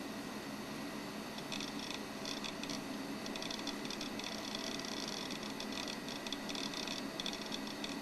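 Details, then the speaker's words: Macintosh PowerBook 520c internal hard drive, said to sound like a Conner Peripherals drive, heard at startup. Quiet steady whir with bursts of fine high-pitched seek chatter; normal hard drive spin-up. "so go ahead and we'll listen to the harddrive startup [Music] definitely sounds like a connor peripherals drive"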